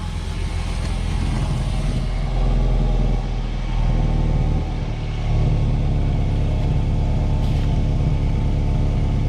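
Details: 2010 Mazda 6 GH idling during an exhaust bolt and seal kit replacement: low, steady rumble with no ticking or puffing at the checked joint, which sounds sealed, while a small leak is found at another joint.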